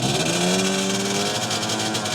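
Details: Yamaha RXZ two-stroke with 57 mm piston, 3BS exhaust with standard neck, GSM carburetor needle set, already tuned, about 20+ hp: crisp, raspy revs rising cleanly under throttle without bogging or spitting. Throttle response is good.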